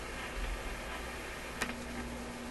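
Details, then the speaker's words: RCA Victor 65U radio playing with two new capacitors fitted; grounding the chassis gives a small snap, tiny sparks and a steady hum, showing that point sits at 120 V AC to ground, a shock hazard. "you can hear the hum i saw the little tiny reactive sparks up here so that tells me that this point is at 120 volts to ground"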